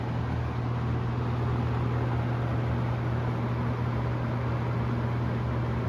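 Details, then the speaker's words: Galaxy 6708 fan, first run after hot-gluing the grilles to stop noise; steady low motor hum, even drone, no rattle or ticking; shaft needs thrust washers, rear bearing keeps going dry of oil; normal running. "this is my first run with the hot glue on the grills so let's see what it sounds like no more noise"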